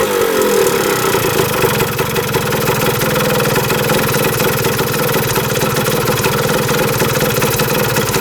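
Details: 1977 Kawasaki KE100 two-stroke enduro, first start in over 10 years, won't run without choke: revs and crackles unevenly, rpm hunting, no steady idle; air screw turned in, owner suspects gas cap not venting.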